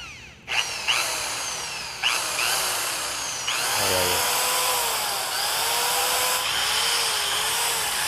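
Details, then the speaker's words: Makita electric drill after forward/reverse switch replacement: spins up to a steady smooth motor whine at even pitch, no grinding or rattle; normal running. "So yan yung tunog niya guys. Ayan. Yan yung tunog ng kanyang So pag i-humming natin siya, siyempre magkaroon siya ng ingay kasi humming siya."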